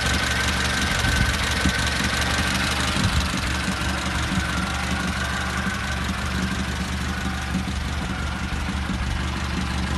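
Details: Volkswagen Golf at idle: steady idle with a light, fast ticking about three a second from the top end, attributed to the hydraulic lifters.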